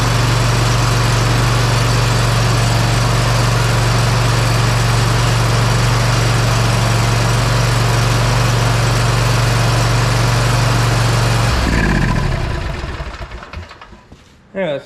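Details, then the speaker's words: Bad Boy Maverick zero-turn, Kohler Confidant V-twin, after repair of one cylinder lacking spark, plus new air cleaner; strong steady idle about eleven seconds, both cylinders firing cleanly, smooth wind-down – normal idle. "really good I'm thinking that that was our issue so it would run on two cylinders for maybe probably 30 seconds or so at the most and I just ran it for probably 40 seconds or so"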